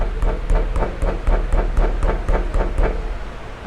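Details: Honda CR-V with a suspension noise complaint; the suspension has no play, but the steering rack (caixa de direção) is worn, a chronic fault, giving quick, even metallic clunks about four a second; the rack is to be replaced.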